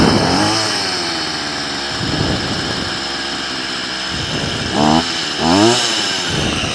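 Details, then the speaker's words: Stihl FS38 two-stroke strimmer during carb tuning: buzzy idle sitting noticeably fast with rising blips, trimmer head still spinning; idle set too high, being turned down at the idle screw. "I've got the strimer up and running it's iding a bit too fast now because uh the head of the strimmer is spinning"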